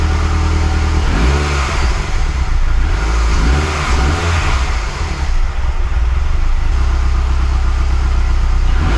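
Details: Mazdaspeed6 engine, freshly rebuilt with honed cylinders, just after first start: a steady idle with several quick throttle blips that climb and fall back cleanly. It revs freely.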